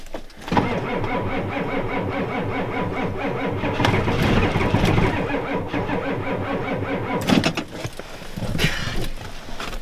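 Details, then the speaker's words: Ford F250 7.3 IDI diesel at 12°F, on ether: slow uneven cranking for several seconds, catching briefly but never running before dying away; weak batteries, and owner suspects gelled fuel. "now it won't even fire it's probably jeweled up yeah it's too weak"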